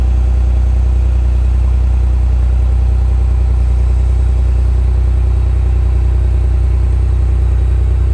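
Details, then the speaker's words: Countach replica kit car by Final Concepts on a 1986 Fiero GT chassis, idling after a battery change and long sitting: steady, even low idle with a smooth regular beat and no knocks or misses; fired right up, running great. "All right, so as you saw, fired right up, running great. Gonna let it idle a little bit since it's been sitting so long."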